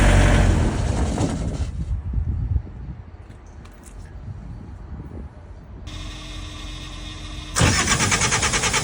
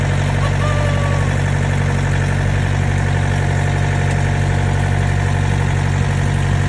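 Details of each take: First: Trailer reefer unit diesel that quit, filters about 1,000 hours old, ether sprayed to start; cranks, fires briefly, drops near silent, cranks again, won't stay running, seemingly no fuel pressure at pump; hard start, engine dies after starting. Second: Trailer reefer unit diesel after inspection late at night (only slightly dirty, cause unclear), hoped to stay running overnight; steady even idle with low throb, no misses or stumbles; normal idle.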